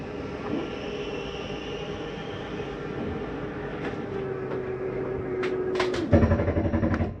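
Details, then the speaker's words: 2022 Flagstaff 832RKSB second slide-out retracting: steady motor hum, then a brief burst of clunks and clicks at full retraction; normal end-of-travel noise, not grinding, fine for a second. "once you hear that noise that's just the slide mechanism saying i'm not coming in any further go ahead and let your finger off the button some people think it's something grinding every time they open or close it not the case"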